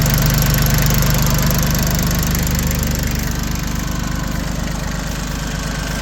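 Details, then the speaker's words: Completely refurbished Yanmar YM1720D 4x4 compact diesel tractor with new hoses, belt, starter, battery and air filter: a steady low diesel chug at idle, even and regular with no misses or knocks and no smoke, a healthy idle. "Really good. Runs like a top."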